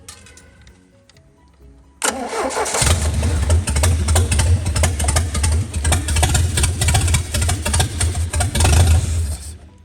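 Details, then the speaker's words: Mercruiser 3.0 marine engine, freed from being stuck, with a rebuilt carburetor: it cranks, fires and runs with an uneven, lumpy beat and wavering loudness. Rough running; still seems to have a carb issue. "Still has a little bit of a carb issue, it seems."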